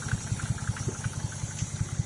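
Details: Rebuilt OHC six (1968 Sprint engine) in a 1950 International Harvester L110 pickup, first start in 35 years, fed from a temporary gas can: even, steady idle pulses over a low rumble, no ticking or noise; normal idle.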